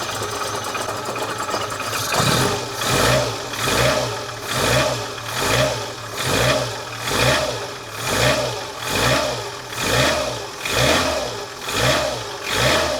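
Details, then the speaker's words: 1985 Lancia A112 Abarth, 1050cc Fiat engine, cap and rotor serviced, cold and running slightly rough: revved about once a second, a sharp diesel-like tick grows louder as revs climb under load; cause unknown. "the sound i was trying to record is most uh is most audioball when i rev it when it goes up in the rev range under on the load from the engine"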